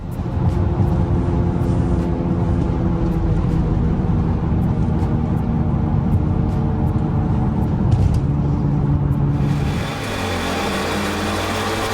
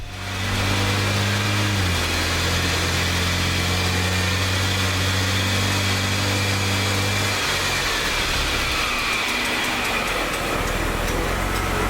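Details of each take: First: BMW E90 328xi recorded driving on the highway before repair. A deep, steady rumbling drone from the left rear holds and settles lower as the car slows. Bad rear wheel bearing; the axle nut is rusted from water trapped behind the center cap. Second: BMW E90 328xi left rear after wheel bearing, hub and axle nut replacement, wheel spun in shop: steady hum with faint light scrape from a bent brake dust shield; bearing drone gone.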